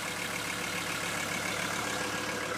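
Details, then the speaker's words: CUCV military truck (M1008/M1009 diesel) just after a 20-degree cold start using manual glow plugs, idle raised, oil pressure good: steady even diesel clatter with no misses or knocks; normal warm-up idle. "It's running. And as you can see, I got the idle up."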